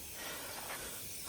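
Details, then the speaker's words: Truck cab air suspension bag (a used replacement is being fitted): a steady airy hiss that swells slightly and never lets up as compressed air escapes from the leaking cab air bag. "Чуєте, як ця мандавошка шипить?"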